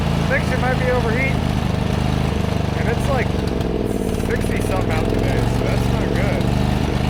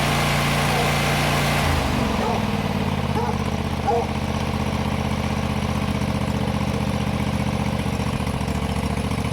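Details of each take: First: John Deere GT245 mower running loud and uneven under load, lumpy and sooty with black smoke; rich running from a clogged air filter, owner also wondered about overheating or head gasket. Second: John Deere GT245 mower after installing new air cleaners, old ones found plugged; catches in about two seconds and settles into a steady, even beat without misses; normal running, fix confirmed.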